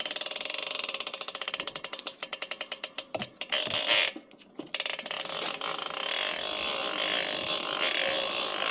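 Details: Chris King R45D rear hub, internals already replaced once for the same symptom, recurred after little riding: rapid sharp ticking with harsh crunchy snaps as the wheel turns, the hub crunching internally.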